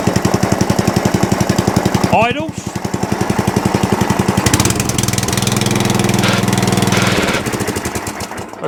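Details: Atco Balmoral cylinder mower just started on choke, then set to rabbit, with no air filters fitted, idling: a rapid rattling chatter rides over the firing beat. Belt chatter from loose belt and pulley tension.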